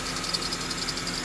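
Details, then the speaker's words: Honda CR-V after the cat-to-muffler pipe flange leak was fixed with a split flange. A low, even idle under a steady hiss with no puffing or ticking from the exhaust joints; no leaks, it runs clean. "At least this is quiet as a mouse. Not the serpentine belt. All right. Fuel around here. There is no leaks. Nice and solid."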